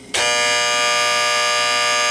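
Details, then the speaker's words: Late-1960s/early-1970s Sankyo Seiki mechanical digital rolling clock, odometer-style, with the alarm sounding. A harsh, high-pitched buzz comes on sharply and holds an even tone; the shut-off button doesn't stop it. Normal alarm buzzer. "Yeah, it works in a similar fashion to an automobile odometer, and it has an alarm clock built in that does work, as I will now demonstrate."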